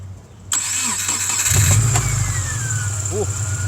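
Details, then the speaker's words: 2005 Subaru Impreza blowing blue smoke and spitting oil from the exhaust, cranks and catches with a sharp thump at start-up then steady idle; loud knock, possibly a motor mount. "was a loud knock almost one if that's your motor mount could just be the motor mount knocking"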